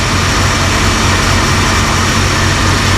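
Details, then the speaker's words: 1978 Dodge Ramcharger V8, running again after a water pump job, with 60 psi oil pressure: a steady, even idle where the earlier tick, believed to be a bled-down lifter, has gone away. Normal idle. "but hey it runs again water pumps working get some of that air out of there i'm just gonna keep it open for now yeah that tick's gone that's good news that makes me feel better"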